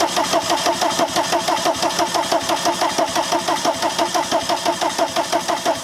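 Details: VW camper van with a swapped-in TDI diesel and newly installed harness, injectors being bled: steady cranking at about three compression beats a second with no firing; crank no start.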